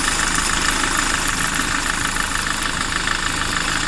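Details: SsangYong Kyron at idle: a quick, regular knocking tick, about three per second, rides over the engine note; abnormal engine noise, source not identified.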